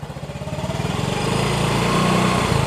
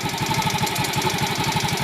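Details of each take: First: Yamaha X-Ride 125 scooter with Diasil cylinder, after repair of a noisy engine, still in break-in with O2 sensor reconnected: steady even putter at smooth idle, regular low beat, no knocking or rattle; noise gone, running healthy. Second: Yamaha X-Ride 125 with a Diasil bore, complaint of engine noise that is quiet when cold and appears once warm: fast, even top-end tapping at about ten a second over the idle. It was first suspected as the cam chain (tensioner replaced with a bolt); the sound points to a worn cam lobe.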